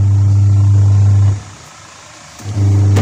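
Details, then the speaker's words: Polytron or Panasonic twin-tub washing machine reported dead, suspected dynamo or wiring fault, tested on wash cycle: strong steady motor hum pausing about a second, then restarting as the agitator reverses; wash motor works normally. "kita coba pertama di bagian pegagan luasnya mencuci alhamdulillah bisa puter normal"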